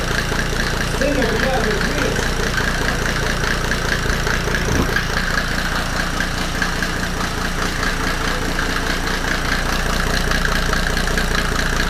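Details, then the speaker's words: Mercedes W124 OM606 diesel turbo project after first start, no intake manifold, throttle released: loud but even clatter at a settled idle with no knocking, nailing or missed beats, despite worries about timing; running normally. "everything seems to be fine now and yeah it uh revved um i was worried about the timing that it was off but um so far i didn't hear any nailing"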